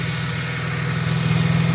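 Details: 1971 Oldsmobile Cutlass Supreme 350: steady fast cranking drone that grows slightly louder but never fires; crank, no start. Owner suspects a bad starter or flooding from pumping the throttle.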